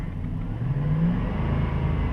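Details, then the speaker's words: 2007 Dodge Durango after replacing the serpentine-belt idler wheel: engine revs up smooth and even with only a deep exhaust note, no whine above 2000–3000 rpm as before; idler wheel bearing was the source, fixed. "and it's gone hear that wine let's rev it up and it's gone i don't hear it anymore so that idler wheel is definitely the source of that noise"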